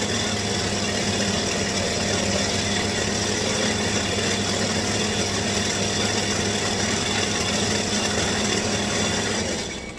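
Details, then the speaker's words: Stihl hedge trimmer at full throttle before repair: the small two-stroke drones flat and never climbs to a crisp scream, a sluggish, power-starved run from a worn spark plug. "That's a full throttle. Okay? Now, if you got some wimpy little bushes, that'll do just fine. However, you're not going to do any favors to this little engine."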